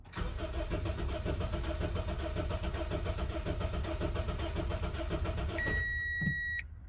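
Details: 2007 Honda Civic 1.8L four-cylinder, no fuel pressure seen from pump: about five seconds of steady cranking with no firing, chime as key released; crank no start, fuel pump diagnosis.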